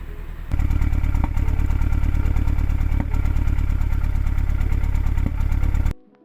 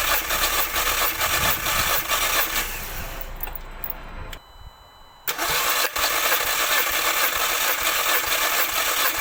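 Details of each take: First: MK2 Audi TT petrol four-cylinder idling rough and chugging, then shut off, with a P0301 cylinder 1 misfire that persists after swapping in a known-good coil pack and spark plug; compression is even, and the injector is suspected next. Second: MK2 Audi TT with cylinder 1 misfire (P0301), compression test cranking with fuel pump relay removed: steady, even cranking about two beats per second, no uneven drag; equal compression, all four cylinders reading about 100 against roughly 150 thought to be expected.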